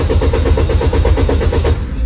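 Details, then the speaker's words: Car that cranks but won't start: the starter turns steadily at about eight beats a second with no firing, then cuts out. The throttle valve was replaced and the plugs and coils checked without success. "Did you see it? This car won't start no matter what."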